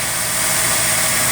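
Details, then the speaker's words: Ford MPFI intake after sharp edges in the intake were smoothed and a 1/8" hole was drilled in the throttle plate. Steady, even idle with a soft airy hiss and no whistle or hum: healthy. "not a big deal to me that's just normal like area love it"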